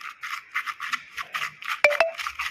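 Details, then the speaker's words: Worn strut top mount (upper strut mount with integrated bearing, flattened) on a 2012 Ford Focus, turned by hand off the car: dry gritty rasping, rough and loose; caused clunks over cobbled or bumpy roads, shake, can make steering heavy; shocks fine. "听到这个声音了吧？刷刷的，这个会有什么影响啊？它会方向盘沉，就是说你如果说感觉方向比以前沉了，这个也有可能会造成啊。"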